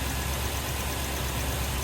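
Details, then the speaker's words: 2003 Toyota Tundra 4.7 V8 (2UZ-FE) after timing belt and water pump replacement, idling with heater on full to bleed trapped air from refilled coolant: even, quick, light idle, no knock or miss; runs smooth. "Sounds like a sewing machine. God damn."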